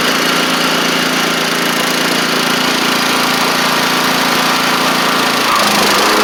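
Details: Troy-Bilt TB42 rider, Powermore 541cc single-cylinder engine running after old gas drained: steady, even beat at constant speed, no misses or knocks; good compression, though it may need a carb clean.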